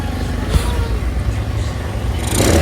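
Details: Honda Beat scooter after refitting the noisy intake hose to the air cleaner and adjusting idle: low, even idle picking up smoothly into a short rev near the end, no clatter or rattle; engine healthy.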